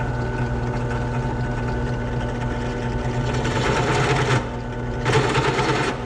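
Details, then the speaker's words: Drilling an oil-mod hole in a Yamaha YFZ450 engine part with the piece clamped down: steady drill hum breaks into rough buzzing bursts as the bit chatters cutting aluminium. "You can hear the chatter. That's why I wanted to clamp it down, because this thing would have been moving all over the place."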